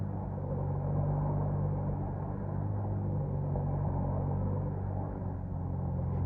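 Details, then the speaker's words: Kawasaki KFX90 ATV single after a top-end rebuild, run on the bench with no chain and the restrictor still on. A steady, even thrum with no knocks or rattles: healthy engine, normal running. "Alright, so that's a solid engine. Yeah? Yeah. Give it a little rev. Let's see if we run. Sounds good to me."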